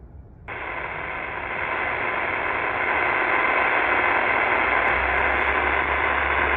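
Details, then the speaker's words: Qodosen SR-286 radio tuned to vacant 520 AM on the external whip antenna setting: loud steady hiss with faint buzzing, digital hash noise radiated from its own display, rising when a hand covers the display; some units affected, others not. "let me explain what digital hash noise is from the display when you put your hand over the digital display you're going to hear some noise"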